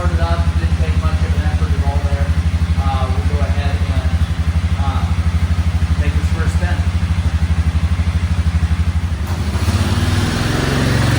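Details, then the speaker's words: Suzuki King Quad 750 ATV, which won't restart until fully cooled and dies off throttle, with battery voltage a little low; after fuel pump prime and click it starts, single cylinder thumping at a steady even beat, no misfire, running normally. "But started"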